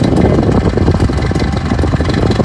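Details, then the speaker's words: New-from-box electric fan on low/medium setting (high setting is fine): a heavy, rough, uneven rumble like an idling engine instead of a smooth hum, sounding broken; fan motor running badly. "that's what the fan sounds like on me as you can see it sounds like it's broken"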